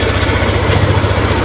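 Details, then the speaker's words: Yamaha Aerox scooter idling smoothly with steady even pulse after repair; sewing-machine-like ticking caused by a destroyed camshaft bearing is gone, intake valve clearance also reset from 0.35 to 0.12–0.15 mm. "Oke, suaranya sudah halus, sudah tidak seperti mesin jahit lagi. Ini gara-gara bearing noken as yang hancur."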